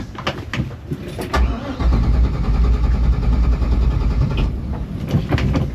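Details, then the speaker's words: Gasoline boat engine refusing to start after refuelling at Poets Cove, a repeat occurrence, cause unknown: hesitant, uneven turnover, then it catches and settles into a low steady rumble; hard starting with long cranking before it fires. "After filling up, the boat decided it didn't want to start. We were worried we'd be stuck in Poets Cove."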